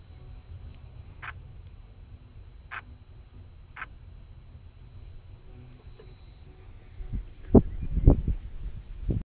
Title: Rover 75 noisy idle contol valve